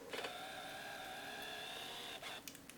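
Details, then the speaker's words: Nikon Coolpix L3 on AA batteries: buzzing motor whine about two seconds as the straight-across lens mechanism extends, noisier than normal; possibly loose lens drive, suspected, not confirmed; camera works. "The lens opening is a little bit different. They have a straight across mechanism. It can sometimes cause problems because it can get a little bit loose from my experience. Ooh, noisy."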